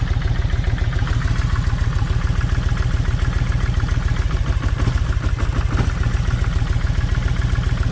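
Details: Kawasaki Vulcan 1600 V-twin with a lumpy, uneven idle, stumbling and dropping pulses every few seconds. The left cylinder's plug stays wet and fires poorly. Swapping the plug wires changed nothing, so the owner suspects that side's plug wire. Unconfirmed.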